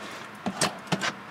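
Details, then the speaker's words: Automatic-transmission car on a hill, shifted out of park after the parking brake was set first: only light clicks and a soft shifter thud, with no clunk or strain. Normal shift out of park. "there's no huge clunk there's no strain on the transmission"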